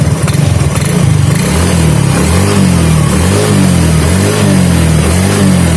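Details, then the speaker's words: Yamaha Fino / Mio J scooter (no MIL code blink) after replacing the faulty part as a package: small single-cylinder engine picks up cleanly on each throttle blip and settles to a steady idle without dying; normal throttle response. "Nah setelah kita ganti itu bunyinya itu sudah enak ya Dekat segitu ya artinya seperti normal ya dan coba kita ke situ langsung respon Ya"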